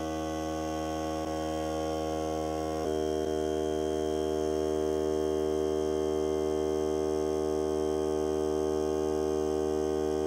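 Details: Hart cordless air compressor during break-in run on a fully charged battery (30 minutes or until the battery dies), pressure around 30; steady even motor hum, constant pitch, no hissing or stumbling, normal running.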